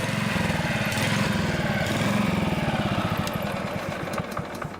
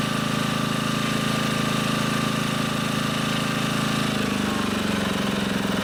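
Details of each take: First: Honda HR215 HM lawnmower, warmed up, hard to start and runs only on choke: the single cylinder putters unevenly, surging at both low and high speed, from a clogged carburetor slow jet. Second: Honda HR215 lawnmower that surged at low and high speed, warm engine, after unclogging the carburetor slow (pilot) jet and resetting the idle screw. Even idle with no hunting, then a clean rise to a steady higher pitch; normal idle and run-up.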